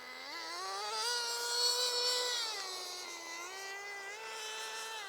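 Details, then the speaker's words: Team Associated RC10GT nitro RC car: high buzzy engine flaring up in revs without pulling harder, slipper clutch slipping too much even after adjustment; being tightened. "it's still slipping yeah slipping [Music] yeah it's slipping can you hear it slip it shouldn't rev like that"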